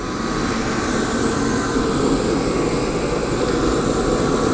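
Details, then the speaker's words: Torpedo heater (ProTemp 45K BTU or Century 97K BTU), fuel pressure already adjusted, lit with a propane torch through the side holes in place of the missing igniter: steady, even roar of fan and flame with no sputter or surging. Normal burner operation; only the igniter is needed. "so that tells me that nothing is wrong else is wrong with this unit so if I get that igniter in it's going to be a good running functional unit"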